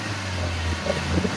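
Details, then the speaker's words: 2012 Suzuki APV Blindvan, G15A engine, about 248,000 km, normal oil: idle then raised rpm runs smooth and even with no metallic knock, misfire or rattle at low or high rpm. A healthy engine. "Yang pastinya baik baik RPM rendah maupun RPM tinggi tidak ada suara metal tidak ada suara pincang tidak ada suara merebet juga"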